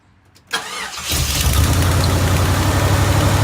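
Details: Jeep Grand Wagoneer V8 started just after fitting a new 94-amp alternator, with a dirty air filter still in. A quick crank catches at once and settles into a deep, steady idle with an even beat and no knocks or ticks; healthy engine.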